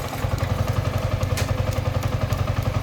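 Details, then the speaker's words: Yamaha MT-15 with idle rpm lowered from about 2000: low even thudding with steady regular pulses, no misses or stumbles; problem fixed, normal idle. "এই যে এখন এটা ঠিক আছে। তো এতো ছিল হচ্ছে বাইকটার প্রবলেম।"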